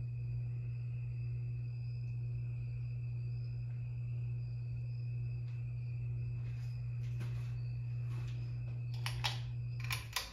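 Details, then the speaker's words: 52-inch Harbor Breeze Lakeside II ceiling fan before restoration, with a bad capacitor: it runs only on low on all speed settings, with a steady low drone and a faint high whine as it turns slowly. "about to demonstrate this fan it only has it only has one speed low only and it has a back capacitor"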